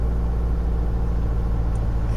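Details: 2009 (58-plate) Ford Mondeo 1.8L QYBA Duratorq TDCi diesel held at 1500 rpm throbs and shakes with an uneven low rumble, misfiring; a dual-mass flywheel was fitted first.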